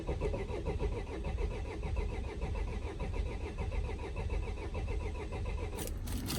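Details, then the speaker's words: Vauxhall Vivaro/Renault Trafic 1.9 dCi diesel after a runaway on oil, air intake removed, intercooler possibly still full of oil: steady cranking at starter speed with no firing, and smoke from around the engine. Turns over but won't start. "that's not starting but it is turning over so let's try a bit of sniff"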